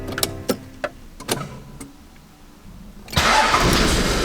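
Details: Toyota Land Cruiser 80 Series 1HD-T diesel starting after alternator repair; a few sharp clicks, a pause, then it catches at once and settles into a steady idle, warning lights gone: a clean, normal start.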